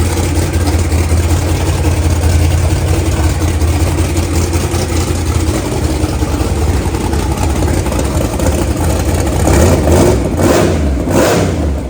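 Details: Blown 540 V8 drag car, first start after an 18-month build with a new 3.4 hp starter: deep, lumpy, loud idle with a few throttle blips rising and falling cleanly; normal idle and revs.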